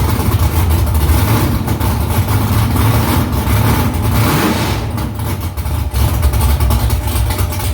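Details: First start after new headers were installed, exhaust back under the car; louder under the seat. Deep, lumpy V8 idle with a few throttle blips, steady even firing, no ticks or knocks. Smoke is from silicone drying around the header. Normal idle and revving.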